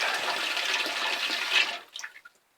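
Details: Ball cock float valve in a loft water tank, after repair: hissing fill flow runs steadily, then cuts off cleanly within a second as the tank fills, leaving silence; float valve shuts off properly with no leak.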